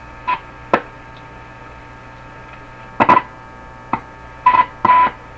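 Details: A Crosley 12B radio on shortwave, fed a signal generator just under 8, gives a test tone cutting in and out in irregular bursts; intermittent reception from a tuning fault, with meshing tuning plates or the shaft suspected, not confirmed.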